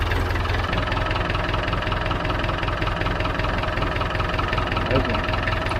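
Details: David Brown 990 diesel tractor, running with about five liters of oil added, started to try the hydraulics: steady clatter at about two to three beats a second, no misses; healthy idle.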